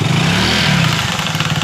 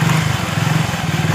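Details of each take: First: Motorcycle just after a service, running with a faint chirping, cricket-like chatter from the drive chain over a steady engine note; chain noise, likely dry or badly adjusted chain. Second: Motorcycle chain after fixing a cricket-like chain noise by flipping the chain and refitting the lock: steady, even idle thump with no chirp or rattle from the chain. Normal chain drive at idle.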